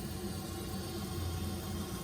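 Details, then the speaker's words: Watkins hot tub after replacing a burned-out circulation pump, refilled to the standpipe and first switch-on: steady, even low hum with water moving, no rattles or surging, no leaks; running normally. "So I'm gonna go ahead and turn it on and make sure the system functions. Flip her on. I hear water. I see water."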